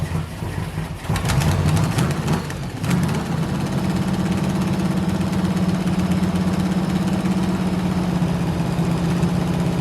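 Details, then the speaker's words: Non-running 1971 Chevy Nova pro street, small block with 4-speed, just revived after a spark-wire repair. Plug wires had been swapped to a new cap. After a rough start the idle is uneven and lumpy with irregular stumbles: misfire. Firing order is checked next and timing is suspected. "all right so we know it runs uh here's what we got just based on that little bit of running it's definitely a misfire"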